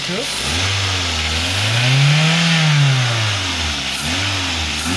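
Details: Toyota Avanza, started during an ignition system practical: engine idles then revs up and down smoothly twice, pitch rising and falling cleanly with no misses; running healthy.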